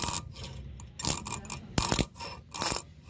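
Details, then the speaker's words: Brake with a pad worn through: harsh metallic scraping in bursts each time the brake is applied, as the pad's metal wear tab scores and damages the disc. "Esta lata, al momento de frenar, el disco se está rayando y por lo tanto se está dañando."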